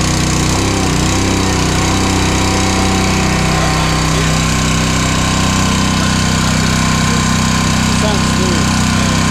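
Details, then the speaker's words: New Honda GX200 196cc replacing a Kohler on a log splitter, first start with choke on, throttle halfway, then choke off. Steady, even single-cylinder hum, no misses or knocks: normal running. "Let's see if it starts. Oh, I love a Honda. Look at that."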